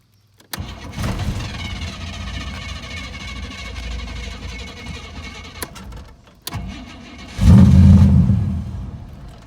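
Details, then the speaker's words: 1986 Chevy Camaro, 350 small block with big cam, first start on a newly fitted remanufactured unit, needs priming: catches and runs roughly a few seconds, then dies; second crank revs briefly and fades; starts then stalls, carburetor adjustment suspected. "Suddenly the carburetor needs to be adjusted, I think, because watch, I'll try to crank it up. You'll crank up and then it will just stall out."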